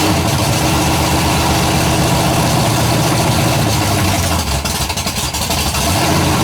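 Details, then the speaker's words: Freshly built 427 big-block V8, first fire-up, idling after a little warm-up: rough lumpy idle with a light fast tick; builder hears one valve with loose lash and plans to adjust the valves. "I've got the damn cup chopping wood to me and I said I'm still gonna run the valves I can hear one over there"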